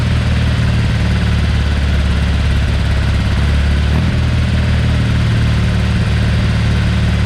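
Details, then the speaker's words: Porsche 912 flat-four just rebuilt with mild cam, minor head work and NOS Solex carburettors: steady, even burble at smooth idle, no knocks or misses; oil pressure 60 psi cold, about 38 psi hot at idle. "so we have actually run this and it's sounding really good oil pressure's good at 60 pounds of pressure when it's cold"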